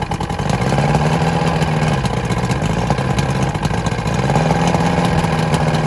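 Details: Vintage Evinrude SPL 88 outboard on a Florida skiff after winter, cold day about 23 degrees overnight, water flowing: steady, even two-stroke idle with no misfires, knocks or hunting; normal idle.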